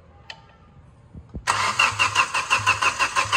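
Starter turns the engine over freely with an even whooshing pulse about three times a second, no firing, clearing water with the injectors out.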